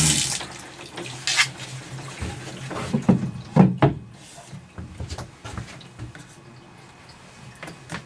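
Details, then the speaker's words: Escape 19 ft travel trailer with water pump switched on: a few splashes, then a strong, steady gush into the sink. On-demand water pump delivering normal pressure. "So now I can just come to the sink, turn on the water, there's water pressure just like your sink at home."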